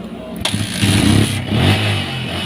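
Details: Yamaha Vixion motorcycle that had died, wiring chewed by rats: brief crank, then engine catches right away and settles into even, steady low idle; starts and runs normally.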